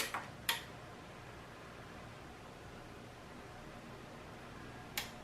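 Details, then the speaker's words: Onkyo TX-SR501E receiver being repaired for a no-power-on fault, fuses checked OK: a sharp relay click at switch-on, then the speaker relay clicks about four seconds later, showing the protection and audio circuit working normally. "so you will first hear the click of this relay and after few seconds the click of the speakers relay"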